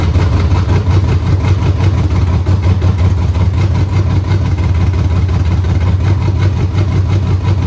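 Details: 6.0L V8 with 4L80E swapped into a Tempest, first start after fixing fuel leaks: deep even burble at steady idle with no misses, knocks or ticks; normal idle.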